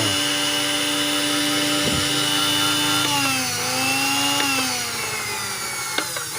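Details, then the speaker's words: Wongdec Turbo Power blender (blade shaft was stiff, stopping it from turning), motor run with no load and the safety switch held: strong, steady high whine shifting slightly in pitch; motor spins freely and healthily. "มีมอเตอร์ใช้ได้นะครับหมุนแรงมากเลยนะครับผมสุดยอดเลยนะครับพลังเทอร์โบนะครับแรงมากนะครับ"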